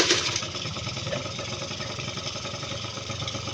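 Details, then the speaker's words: Suzuki Street Magic two-stroke motorcycle that previously would not start despite spark and fuel, now running after carburettor work and raising the idle screw, fuel tap on reserve; quick catch on the starter, then an even buzzy idle with no misses. "ติดได้ครับเดินเบาได้ลองเร่งให้ครูหน่อย"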